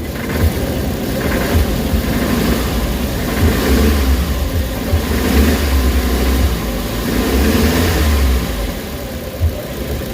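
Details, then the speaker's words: Suzuki Carry, warm, before XADO treatment and oil change, with low power and weak pulling uphill: rough idle with an uneven low rumble pulsing about three times a second and noticeable shaking; owner suspects a loose mount. "Nanginginig siya no? Normal. Nanginginig. >> Uminit na yan >> ah. Okay. Okay. So may konting vibrate siya."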